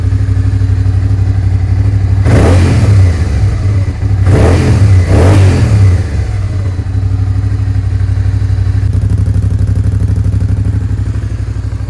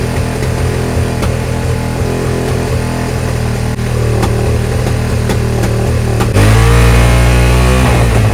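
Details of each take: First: Suzuki SV650S V-twin after carb cleaning and carb sync, airbox refitted: crisp blips climbing and falling cleanly to a steady idle, no hanging revs or popping; smooth throttle, carbs tuned. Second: Suzuki SV650S V-twin, carbs just synced: fast steady drone far above normal idle, about 7,000 rpm even with idle screw backed out; vacuum leak past the carb washers.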